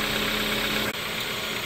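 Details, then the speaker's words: 2015 Kia Soul after new coil packs and spark plugs: steady even idle hum at one constant low note, no misses, stumbles or surging; previous hesitation and intermittent cutting out fixed on test drive, normal idle. "Okay, so it's sounding really good. We took it for a test drive, and all that hesitation and intermittent cutting out has went away, so this is running really good now."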